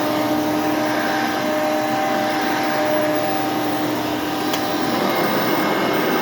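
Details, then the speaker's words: Hoover Elite II vacuum, 5.5 amp motor with seven-blade fan: steady high whine holding one pitch over the constant airflow rush; the motor whines slightly but runs evenly and still cleans well. "yeah you can hear does have a little bit of a wine to it but it still cleans the carpet exceptionally well"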